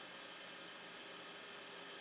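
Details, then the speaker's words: Toroid dynamo/generator built with Tesla-patent-style coils, stepping up to 120 V AC to power a 4.5 W LED; runs smooth with a steady whirring hiss and faint hum, the only noise coming from the brush motor; normal running. "you can hear this runs pretty smooth pretty much the only noise you get from this is from the brush motor"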